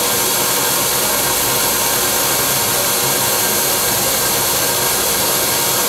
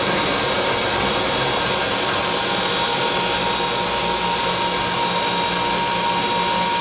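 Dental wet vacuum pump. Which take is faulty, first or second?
second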